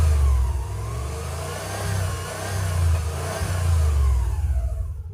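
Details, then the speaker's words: 1982 VW Vanagon Westfalia converted from 1.6L diesel to Subaru 2.2L flat-four (about 130hp), fuel system redone for gasoline; pulls cleanly through blips and drops back evenly, no knocks or misses; normal engine revving. "yeah this engine is I mean they're just great this is great I mean like I said it's a smaller thicker versions but I mean they're more than enough to making these Vanegas just run so much better"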